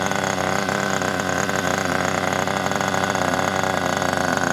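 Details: Kyosho Pure Ten Alpha nitro RC engine after pull-start repair, running with a non-original exhaust: buzzy high-pitched steady fast beat, no misses; sounds healthy and clean.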